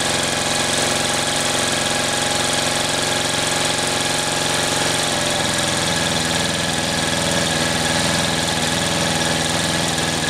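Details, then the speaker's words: 1938 Caterpillar D13000 diesel, not run in years, water found inside: a slow, steady roll-over under two turns a second with no firing; the fuel pump delivers and oil pressure is good, but the injector pump gives no pressure, cause unknown. "so i've got fuel out of here so our pump's working our injector pump's not i can't get pressure out of the pump and i'm not sure why"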